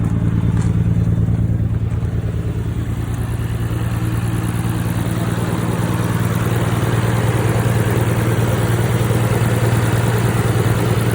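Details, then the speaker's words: 1992 Nissan Skyline GTR BNR32 with catback exhaust, right after an oil change of 5 quarts including stabilizer: a steady, even low idle with a smooth rumble and no knocks or ticks; sounds healthy. "Oh, that sounds so good."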